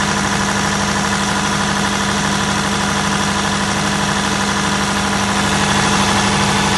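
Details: Perkins 1103A-33TAG2 three-cylinder turbocharged diesel generator, 45kVA prime power, running under load: steady, even beat about three pulses a second, low smooth hum, no knocks; normal running under load.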